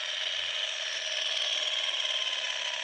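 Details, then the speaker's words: Mahindra Treo Plus 8 kW EV motor from a customer who could barely drive it: loud, constant high-pitched gear whine with a rough grinding edge while running; upper bearing is bad and the upper gear binds as it turns. "यह ऊपर का है bearing. इसका भी खराब है। देख सकते हैं। थोड़ा अटक अटक के चल रहा है। यह ऊपर वाला जो गियर है।"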